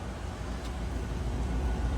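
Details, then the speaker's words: Ram 1500 5.7 that kept melting ignition coils, a comeback repair. After the fix, at the tailpipe the exhaust note is steady and even with no popping, so there is no misfire. "No popping. If that was a misfire, you'd hear pop, pop, pop, pop, pop, pop, pop."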